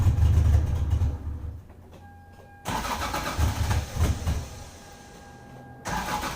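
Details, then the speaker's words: 1996 Lexus SC300 2JZ drift build, factory manual W58, cold start at about 60°F: long bursts of starter whirring with beeps between, cranking on and on before firing; hard start, cause suspected, not confirmed. "So as you guys saw there, it took incredibly long to start. Now it is a whopping 60 degrees out right now, so it's much, much colder than it has been when I've demonstrated that for you guys."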